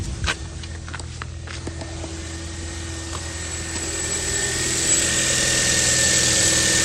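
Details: 2015 Kia Forte 1.6L turbo with 71,000 miles, left running a while: a few clicks, then the engine settles into a steady, even hum that swells slightly. Earlier codes were reset and did not return. Healthy start and idle.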